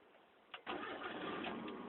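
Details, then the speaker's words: 1993 Mazda Miata, 141,705 miles, after swapping old Denso fuel pump (caused hot no-restart) for Walbro; engine not hot, restart test: short crank, catches at once, settles into steady idle. "yeah so she's starting right up fine"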